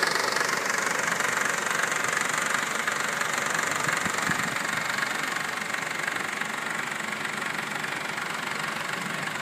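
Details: 2012 Honda Civic EX, 28,500 miles, under warranty, petrol idle: steady even knock-rattle about four times a second; dealer already replaced tensioner belt and oil pump and plans to replace the engine.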